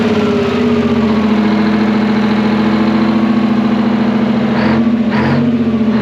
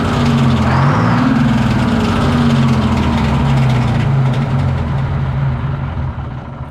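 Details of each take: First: Twin-turbo Detroit Diesel 12V71 generator, revived after sitting abandoned, idling with a deep steady drone and even beat, no longer the fan clattering against its guard; normal idle. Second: Twin-turbo Detroit Diesel 12V71 generator just fired up after sitting abandoned in a field: steady rapid rattle of about four knocks a second over the idle as the cooling fan blades strike the fan guard.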